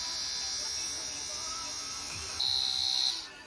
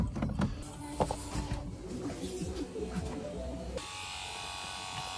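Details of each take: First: Spare Sierra RS Cosworth ABS pump motor bench-run while building a master cylinder from spare parts: a steady, fairly loud high-pitched whine with no stutter. It is not the quietest but is judged in good health. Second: Ford Sierra RS Cosworth 3-door, rebuilt ABS master cylinder from spare parts, fresh fluid, key on: after some clatter, the ABS pump motor whines steadily and runs on; pump not reaching pressure, pressure switch suspected blown.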